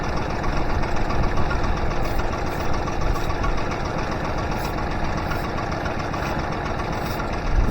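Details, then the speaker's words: Honda BF25A 25 hp 3-cylinder 4-stroke outboard after fuel system overhaul, idle raised for mixture-screw tuning, no intake leak found with starter fluid: ragged uneven beat with stutters and jumps; rough idle, cause undetermined. "It's not running horrible, but I've got a stutter and a bit of a jump that I'm not happy with."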